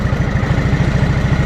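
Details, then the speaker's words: 1987 Honda 3813 lawn tractor revived after years abandoned, coolant added, run without radiator fan or clutch: low, even, smooth and quiet idle with no misses, knocks or smoke. Normal idle. "man this thing runs great no smoke or anything look at that that is one of the smoothest quietest engines I've ever heard on"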